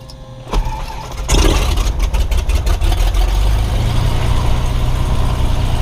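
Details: Fuel-injected Cessna 182S, unflown for a couple of days. Throttle is 1/4 inch open, propeller at high RPM, and it was primed with the auxiliary fuel pump. A brief crank, then it catches at once into a deep, steady rumble: a normal start.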